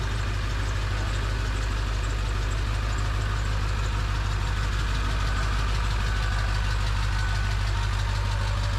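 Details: Ford 7.3 Powerstroke, just after first start with new KC turbo, plenums, up pipes, oil crossover and fuel bowl reseal: even clatter about three beats a second over a deep rumble. Owner hears different idle quality, guessing the oil crossover tube. Normal idle.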